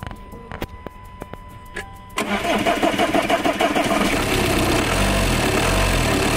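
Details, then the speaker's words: Audi Q5 diesel towed in with a no-start, after replacing fuel pump and module with new ones: dash chimes, starter turns, engine catches quickly and settles into steady even diesel idle; starting problem solved. "Problem solve అయిపోయింది. Vehicle అయితే start అయిపోయింది."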